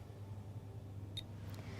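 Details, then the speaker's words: B-Cure Laser LLLT device running a six-minute treatment: one short high electronic beep over steady low hum, repeating every 3 seconds; normal confirmation beep that device is working. "every 3 seconds you'll hear a beep to confirm the device is still working"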